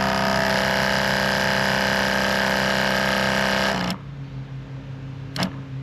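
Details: Sprayers Plus 105EX backpack sprayer after pump replacement and retightening of the hose fitting; steady, even motor hum with a smooth fast pulse, then a clean shutoff, no leaks, running normally.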